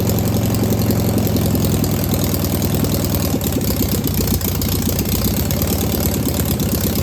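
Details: Single-port air-cooled engine restarted after confirming valves are oiling (distributor possibly a tooth off): steady low engine beat holding an even idle, no stumbles or misses; normal idle.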